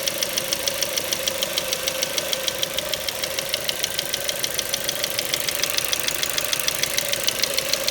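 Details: Ford Mondeo 4 2.0 Duratec HE, 89,000 km, LPG fitted at 70,000 km, idle: sharp even ticking knock about three per second; not valves or swirl flaps, owner suspects petrol injectors; knock vanished revving to 7000 rpm stationary.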